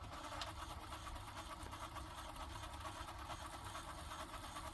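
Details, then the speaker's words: Philips cassette deck repaired with 3D-printed replacement gears, on rewind: an even, busy whirring with a faint fast flutter and no slowing; rewinds at a steady speed but is mechanically loud. "not reasonable speed actually it's loud it is loud"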